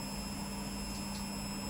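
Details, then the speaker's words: Beko WTG620M2W slimline washing machine, empty drum (no load) spin test on uneven floor: steady motor hum with faint high whine, no knocking or scraping; possible slight drum wobble but sounds fine. Normal spin cycle. "don't know it doesn't sound too bad it doesn't have a load on because you put a load in it a couple of towels or something"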